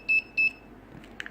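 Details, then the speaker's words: Wireless sensor network sink node, other nodes not yet connected: two short high-pitched beeps about a third of a second apart, the sink node signalling that it is searching for other nodes. "this is the startup sequence if you notice the my sync node is making a differe"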